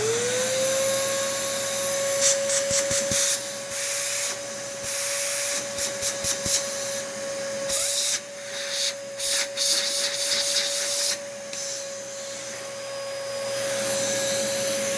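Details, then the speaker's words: Late-model Dyson vacuum. High motor whine with choppy flutter and airflow bursts, then a long wind-down; rough motor or a clog cutting airflow is suspected, probably needs cleaning. "oh that motor sounds a bit rough or maybe that's just a clog somewhere"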